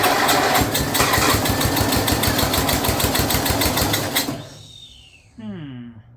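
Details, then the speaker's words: Snapper rear-engine rider, Briggs 12 HP I/C single, abandoned for years, brand-new carburetor leaking fuel, choke open, blade turning when it shouldn't: choppy uneven revving about four seconds then dies; owner suspects the carburetor, engine itself sounds okay. "Well, this is weird. Really feels like that carburetor's not happy."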